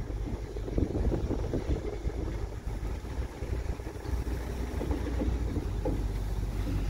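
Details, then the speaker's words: 1968 Ford Galaxie XL Convertible, 390 4V with C6 automatic, first drive after getting it home: smooth low engine drone with wind rush, no knocks or gearbox whine; engine and transmission healthy, though front end components loose when braking. "it sounds good I don't think there's anything wrong with the engineer transmission either one"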